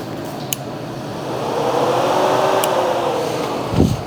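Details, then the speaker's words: Fire-damaged 2006 Polaris 500 ATV that sat stored for 2 years, after reconnecting forgotten connectors: steady whirring hum with no knocks or rattles. The radiator cooling fan runs normally. "couple more connectors we forgot about the fan oh that's working the fan is running"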